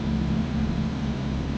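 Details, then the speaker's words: Mercedes W124 E42 AMG M119 V8, running again after five years, with rebuilt injectors given new seals and the MAF sensor and air cleaner refitted. Short, low, even idle hum with no ticks, misses or knocks; no more smoke, stable and smooth. "That's at least stable. Yo, yo, yo, it's running. It's running."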